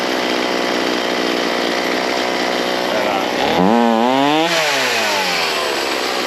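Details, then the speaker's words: Ryobi C4618 chainsaw during carburetor tuning, low jet and idle set, high jet being adjusted: high buzzing idle, revs dip and climb slowly on a blip; sluggish throttle response, likely needs high jet opened slightly more. "Still is like a little bit laggy."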